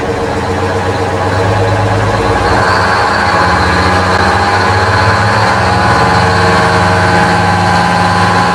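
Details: 1969 GMC 9500 diesel truck with 13-speed transmission, bought at auction, before a road test: steady, even two-stroke diesel clatter at idle, about three to four beats a second, no knocks or misses; healthy idle.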